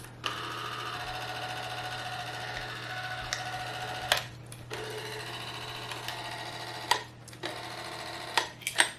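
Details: 8mm movie camera's spring-wound clockwork, only lightly wound and set to R for run; steady even whirr with a light mechanical chatter and a few clicks near the end; runs smoothly.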